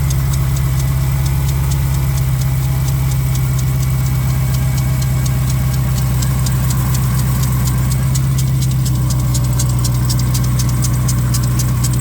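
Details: 2021 Dodge Durango Hellcat at cold idle: rapid, uneven metallic chatter about four per second over the engine from the worn lower serpentine (accessory) belt tensioner bearing; replacing the tensioner corrected the noise.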